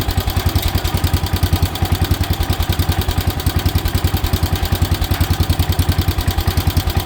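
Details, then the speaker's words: 1977 Wheel Horse B-100 garden tractor, single-cylinder, after carburetor work: heavy low thumping at about 3.5 beats a second that turns uneven as the engine starts running rough. "It's going to do it. Here it's starting to run rough."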